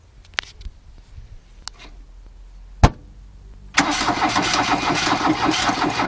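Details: VW Caddy diesel hard cold start: nearly four seconds of faint uneven turning and taps before it catches and clatters into a rough idle; one cylinder not working, valve problem suspected, not confirmed.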